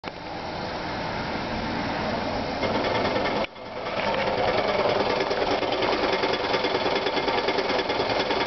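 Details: Uneven, chattering rattle from the clutch area over the engine, briefly cutting out then returning steady; cause unknown.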